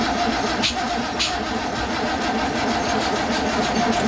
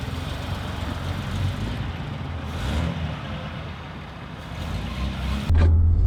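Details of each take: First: Datsun 240Z freshly assembled engine with SU carburetors: steady starter cranking with sharp pops backfiring through the carburetors; ignition timing 180 degrees off with distributor rotor pointing wrong way, plug wires reversed to test. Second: Datsun 240Z with freshly rebuilt engine and electric fuel pump, on its first drive: engine pulls smoothly, hum climbing steadily with speed, no knocks or misses; running healthy.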